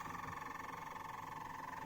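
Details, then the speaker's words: Squeaking from the cassette deck of a dusty Philips FCD285 stereo system during first playback test: thin, steady squeak pulsing evenly with reel rotation over a quiet hum, with little sound from the tape; the transport seems to drag, possibly from years unused. "so last thing that pate was a cassette and don't seem to be getting very much from the cassette deck its squeaking"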